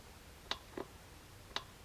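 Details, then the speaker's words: Honda generator that sat about a decade with old fuel, mic by the carburettor fuel cut-off solenoid with key on: three crisp clicks as it pulls the pin back to let fuel reach the main jet, working properly. "now you can hear it engaging so it's pulling that pin back to let the fuel go to the main jet"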